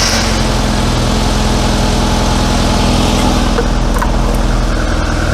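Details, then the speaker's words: Classic Mini just refilled with fresh oil and new filter, first start: oil pressure warning light goes out, smooth even quiet idle with no ticking, quieter than ever; owner wonders if it previously had the wrong oil, running to warm thick oil. "all right oil pressure warning lights gone out do you know that's quieter than it's ever been I wonder if I had the wrong oil in it"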